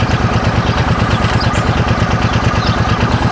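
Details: Suzuki Boulevard C50 800cc V-twin after rebuild and oil and filter change; even, loping idle with a steady low thump and no knocks, ticks or misses; sounds right after the work.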